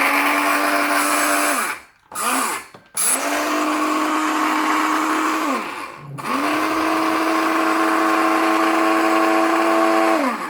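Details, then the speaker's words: Tefal Optiblend 1000 W hand blender running in its container: high, even motor whine that spins up, holds and winds down between presses; loud but healthy, noisier because it runs inside the container. "Evet şekilde biraz gürültülü olduğunu söyleyebilirim o da haznenin içinde olduğu için daha ses çıkartıyor"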